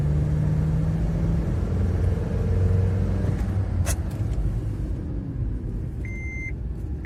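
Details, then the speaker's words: Honda FR-V road test after refitting the torn intake hose between the air filter and the turbo, which had caused lost power and an odd noise: at full throttle from 2,000 rpm it pulls smoothly and the noise is gone; normal driving. "Газ в пол. От 2000 машина поехала и набирает прекрасно. Динамика хорошая. Звук посторонний пропал."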